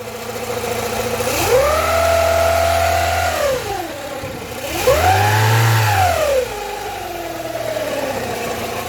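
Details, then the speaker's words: Rover 45 Impression S3 with CVT, after a gearbox fluid change, not yet warmed up: two rev blips with a drone tracking engine speed, located at the engine, not the gearbox. Owner suspects bottom-end bearings from running low on oil. "that is 100 coming from this part of the engine it's not coming from the gearbox it's the engine"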